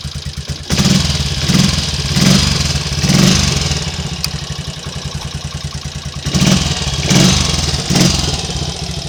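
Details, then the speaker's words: Triumph Trials Cub single-cylinder motorcycle idling with a steady thump and clean throttle blips after the previous day's misfire and stalling was fixed; running normally again. "It's all back in the land of the living now, as I'll probably demonstrate."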